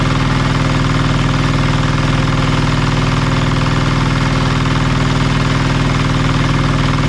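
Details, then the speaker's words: Marketplace diesel generator after repairs: smooth, deep diesel thrum at a constant rate with even firing and no knocks; the engine runs well though the generator still makes no power; normal running. "oh she's running really well"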